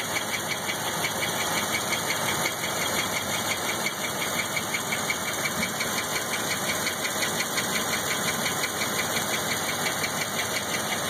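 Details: 1997 Chevrolet LT1 V8, over 172,000 miles, idling warm: constant rushing hiss with fast regular ticking, belt-like, from rear of driver-side head; barely noticeable cold, louder warm; oil pressure 40 cold, 20 warm; exhaust gaskets, plugs changed; cause unknown.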